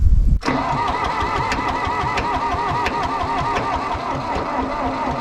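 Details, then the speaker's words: John Deere 1010 track loader diesel, first start attempt after injection pump rebuild and a minute of glow plugs: rhythmic cranking with even pulses that never fire, no smoke; owner suspects vapor lock and worries about low compression. "let's hit it ready ready huh no smoke nothing that Vapor locked it there"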